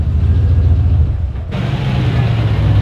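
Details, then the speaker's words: Finished LS1 turbo VY ute V8: deep, choppy burble with uneven lope that picks up smoothly on throttle, not put on boost; healthy engine with a lumpy cam, described as really smooth. "It's really smooth. Actually. It does, doesn't it? It's just so lumpy. I know."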